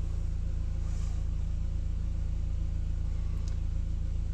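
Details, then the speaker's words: Audi TT after replacing the old G40 cam position sensor, which caused hard starting: smooth, even idle with a steady low thrum around four pulses a second, no misses or knocks. Codes cleared, no faults found. "so we want to clear codes it's running and no fault codes found"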